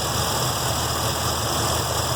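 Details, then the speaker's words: 1966 Mustang 302 with a stock cam and newly installed MSD Atomic EFI, idle target set to 775 rpm, on a warm day: a steady V8 idle sitting a little high. Injectors are suspected to be open too far. "It is pretty warm outside today. It looks like everything, seems like I'm going to say the injectors are a little too far open."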